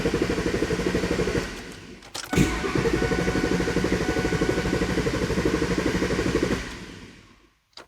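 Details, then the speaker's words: 2002 Ford SVT Lightning, freshly rebuilt, key on before first start: the starter churns in steady pulses but no fuel pump prime hum is heard and the engine never catches; the pumps were dead because a connector, possibly damaged, was unplugged. "are we getting a fuel pump prime i don't hear anything okay well after digging around for about a half hour we figured out why the fuel pumps won't kick on"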